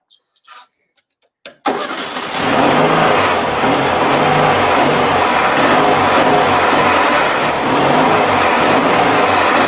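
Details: 1957 BMW Isetta with a replacement freebie engine, cranked while trying it in gear: catches after a few cranks, then runs a steady, even air-cooled thrum with no misses; normal running.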